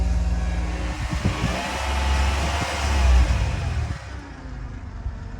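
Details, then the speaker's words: Engine revving up and settling with a faint whine above the engine note, AC off to listen; engine otherwise very smooth, alternator looks shot and owner suspects it is starting to go out. "Just kind of like a whining noise, and my gut is telling me that's the alternator starting to go out."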